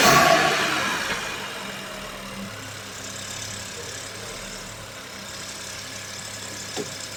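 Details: SEAT Arona 1.0 TSI three-cylinder after replacing a failing ignition coil and fitting new spark plugs: brief rev settling into a quiet, steady idle with no stumbles; all cylinders working, EPC warning gone.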